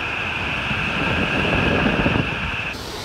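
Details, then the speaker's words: HVAC air handler after replacing a failed X-13 ECM blower motor with a 3/4 hp PSC motor and 20 µF capacitor: steady rushing airflow with a faint even hum, blower spinning smoothly with no rubbing, ticking or bearing growl. "so we'll go ahead and plug it in here and as you can hear we've got blower"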